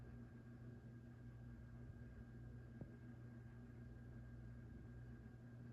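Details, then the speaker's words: 1987 View Fan Spinner V36R 36-inch ceiling fan, run straight from the outlet: a quiet, steady motor hum with a faint buzzy rattle. The canopy is vibrating because it is not pushed all the way up. "I don't know if you can hear it, but the canopy is vibrating. That's from it not being up all the way."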